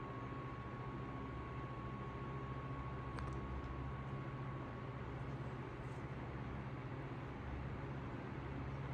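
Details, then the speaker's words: 1955 Emerson 77646SL 12-inch desk fan at medium speed, motor cleaned out. A steady, faint mid-pitched motor whine over an even low hum; runs smoothly. Normal motor whine. "Again, here's medium speed. There's the motor whine."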